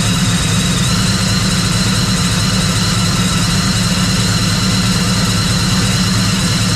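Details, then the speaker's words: Procharged Trailblazer first start after its D1-SC Procharger was rebuilt and upgraded to a D1-X, with oil in, bracket bolted and belt on: steady, even idle with a faint high blower whine, no misses or knocks, and the engine sounds healthy. "I want to go ahead and start it up, see how the Procharger sounds, make sure everything's good since it was just refreshed"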